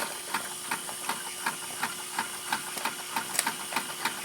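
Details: Model horizontal mill steam engine with generator, alcohol-fired boiler, warmed up after draining condensate: even puffing exhaust beats about two to three per second over steady steam hiss; runs smoothly, normal running.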